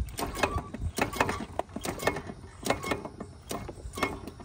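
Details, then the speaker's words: 23-year-old Club Car DS electric golf cart, pedal feathered lightly: quiet whir broken by repeated sharp clunks about every half second with heavy shake; cause unknown, owner unsure whether motor, transaxle or spline. "I'm just gonna surge it a little bit I'm doing this with the pedal every time it moves but look at how much hear that noise and all that shake"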